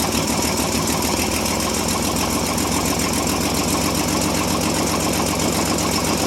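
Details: 1957 International S120 4x4 pickup, old six, once stuck and now restarted after about 4 years sitting, fed gas into the carburetor, throttle linkage seized: settles into a steady, slightly lumpy idle with an even low beat, running on its own.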